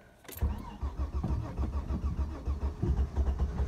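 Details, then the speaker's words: 2000 Vauxhall Vectra B GSi 2.5 V6, off the road since March 2017 after running out of fuel: the starter churns steadily for several seconds without catching. "oh nearly i can eat fuel pump wearing i might have to put another can of fuel in oh no we've got it"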